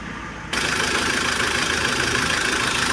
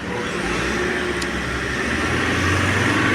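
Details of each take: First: Mahindra Scorpio diesel running with harsh busy clatter and rough tak-tak tapping; opened up, No. 1 connecting rod bearing found seized with heavy play; rod knock. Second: Mahindra Scorpio diesel after repairing a seized, loose number-one connecting rod bearing without an engine rebuild: steady, even idle with no tapping or knocking; normal idle after repair.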